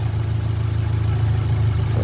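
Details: 2018 Hyundai Accent gasoline engine, a cranking no-start fixed by swapping relays in the fuse box: steady low idle hum with an even fan whoosh underneath, no knocks or misses; engine idling normally.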